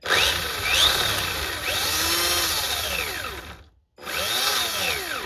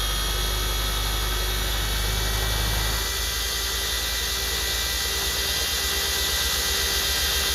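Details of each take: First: Homemade 'Frankenstein' RC car differential with 3D-printed parts and a nylon gear, run up to full throttle with no load: electric motor whine sweeps with throttle over rough gear chatter, then something breaks; the owner suspects the spur gear. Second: RC car 3D-printed "Frankenstein" differential fitted with nylon gears on the workbench: steady high whirr from motor and gears, with a rougher buzz once the throttle opens fully; no clicking or skipping, gears intact on this run.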